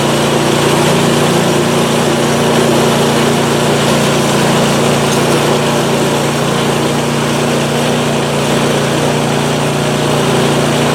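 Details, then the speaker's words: PowerSmart 24-inch snowblower, first start in January 2021 after sitting drained of fuel since 2018 (earlier belt-throwing fixed by tension), primed and started: smooth, even small-engine drone with steady buzz, no misses or knocks; runs great, auger works. "all right it's running i'm gonna reconfigure and we'll test it out so so she's a runner awesome"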